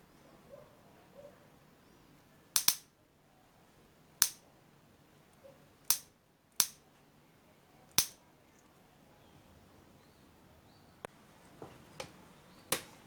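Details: Gas cooker electronic push igniter, tested on the high-tension line with the lights off before connecting to the stove: sharp, crisp snaps at irregular one-to-two-second gaps in a quiet room, so the igniter sparks properly.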